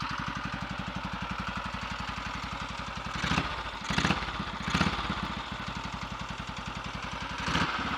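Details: Royal Enfield 350 Redditch Bullet, first start after a full engine rebuild for a worn big end: steady single-cylinder idle thump with a light quick tap on each beat; ignition tapping from slightly over-advanced timing, which quietened once reset by strobe.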